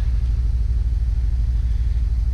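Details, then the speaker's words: 2008 Jeep Wrangler at warm idle with a flashing check-engine light, codes P0300 and P2305: a rhythmic chug with irregular dips as cylinders 2 and 5 misfire. Coil, plugs and wires were already replaced; the ECM's coil 2 driver is faulty. "cylinder number one two three four five six and we have cylinder number two and number five misfiring the rest is fine"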